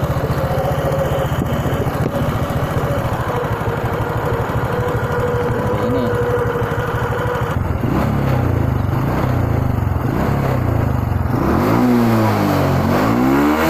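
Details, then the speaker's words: Honda Supra 125 carbureted single that wouldn't idle and died on throttle, after carburetor cleaning, air screw 5 turns out and idle screw set: even idle chuffing, then clean revs rising and falling without hesitation or stalling; normal idle and throttle response. "Gas-gasnya sudah bagus."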